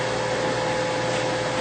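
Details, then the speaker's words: Mathis Labcoater type LTE-S after pressing heat, which starts the fan automatically because the heaters cannot run without it: a steady, even rush of air with a constant mid-pitched hum and no knocks or rubbing. Fan and exhaust are running normally. "I press heat the fan will come automatically and you can hear the fan blowing and the exhaust blowing"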